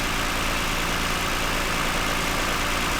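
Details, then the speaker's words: 2009 Toyota Highlander, 276,480 miles, after swapping the cylinder 2 and 4 ignition coils for a cylinder 2 misfire: steady, even idle with constant hum, no stumble or skip; misfire gone. "Actually runs pretty smooth, quiet."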